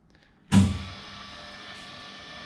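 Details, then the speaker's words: Restored old milling machine, X-axis power feed engaged: motor starts with a thump, then settles into an even steady whir with no knocks or grinding; feed runs smoothly. "is I think the first and the other direction is running really smoothly smooth"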